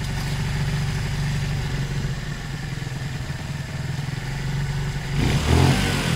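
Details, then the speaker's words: Zontes 125 single-cylinder motorcycle after fuel tank flush (rust, twigs, water) for blocked carb, warm, choke off: steady even idle putter rising cleanly into a rev without stumbling; normal running. "okay so that sounds and feels quite moving off like that"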